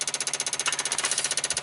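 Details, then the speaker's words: 1995 Dodge Ram V10 cold no-start, engine off: with ignition module plugged back in, PCM 8 V reference rises from 3.6 to 6 V and ASD/fuel pump relays chatter wildly, about fifteen sharp even clicks per second. "I'm gonna plug this ignition module back in plug it back in we're up to six volts again our relays are clicking like crazy"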